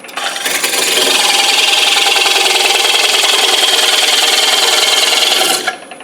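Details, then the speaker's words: Woodturning lathe, parting tool making a deep cut into a flat board of hard maple for an economy bowl: harsh steady rasping scrape for about five seconds, the tool struggling a little; tool rest height may need adjusting. "You're going to hear it struggling just a little bit. I may wind up having to adjust my tool rest height just a little bit."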